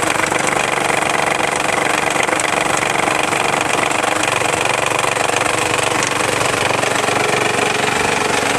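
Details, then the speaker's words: Isuzu Rodeo running with the timing belt cover removed: fast, regular slapping about four times a second over steady idle. The failed tensioner (a compressed gas spring) lets the timing belt flop loosely, risking jumping a cog; timing to be checked. "So the problem is the timing belt tensioner. Since it's hydraulically controlled, it can fail, and mine has. Because of that, the timing belt is real loose, and I'm amazed it hasn't jumped a cog."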